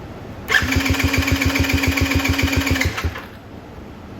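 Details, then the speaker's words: Coolster 110 dirt bike engine cranks about two seconds with steady starter whine and even compression pulses when jumped directly to the starter, bypassing the clicking solenoid; starter good, solenoid bad. "we'll bring our jumper over to the positive that's going down to the starter and we'll turn on our boost pack and we're going to hear the starter turn"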